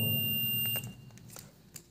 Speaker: यहां पर बज रहा है इसको हम लोग कहेंगे फुल शॉट यह फुल शटिंग है